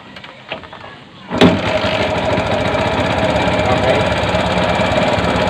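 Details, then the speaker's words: Bajaj CT 100 that died while riding, after spark plug and tappet clearance fix: catches and idles with loud, fast metallic clatter on top, identified as the timing chain guide; probably not being replaced. "yung ganyan mga pre na ingay. Timing chin chin guide yan."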